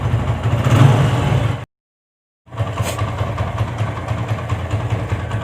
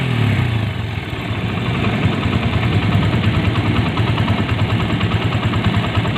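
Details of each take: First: TVS Apache single-cylinder motorcycle after engine rebuild: even, low thump at idle, the earlier bad-bad-bad chatter gone, no rattle or banging; normal idle. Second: TVS Apache single-cylinder idling before repair: a busy, rattly idle with a coarse, uneven chatter over the exhaust beat, fixed later by rebuilding the engine. Abnormal engine noise.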